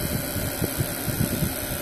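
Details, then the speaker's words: Webasto diesel air heater with a silent fuel pump, running: steady blower rush and low rumble, only a very faint pump beat; ventilation somewhat noisy, normal running. "n'entends pas de tac tac tout ce que tu entends c'est la ventilation de mon Webasto alors j'ai un Webasto qui est un peu bruillant"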